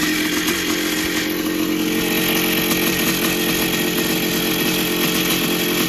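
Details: 1982 Yamaha YZ490 two-stroke after six-month rebuild with new bottom-end bearings and seals: steady crisp buzz at an even fast rhythm, no knocking or rattle, quieter than before; healthy normal running.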